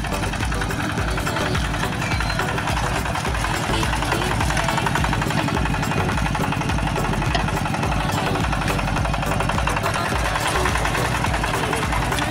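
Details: Yanmar TF-85 single-cylinder tractor diesel after field service for rough running and strong knocking, back at work: steady, even thumping at constant idle, each firing beat even with no extra knock; engine sounds healthy.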